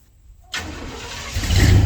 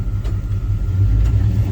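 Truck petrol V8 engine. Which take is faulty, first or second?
first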